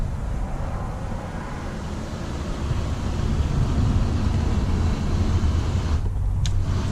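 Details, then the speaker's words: 2011 Jayco Jay Flight G2 31RKS travel trailer slide-out extending: steady low motor hum and gear rumble, then a sharp click at full extent showing the room is all the way out, where it seals properly; normal operation. "let's get that all the way out and right when it gets to full extent you hear like a clicking sound that means it's all the way"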